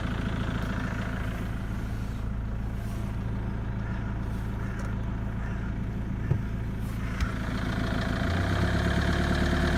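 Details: Ford Mondeo: steady low idle with a faint, fairly regular light tick, about three per second, riding on it; source of the clicking not yet identified.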